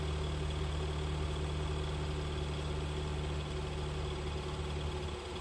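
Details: 2011-2020 Dodge Durango 3.6L Pentastar V6 idling during an exhaust and catalyst back pressure test on the passenger side; a steady, even idle hum and smooth low rumble with no knocks, misses or chuffing; gauge within the green, exhaust flowing freely, engine healthy.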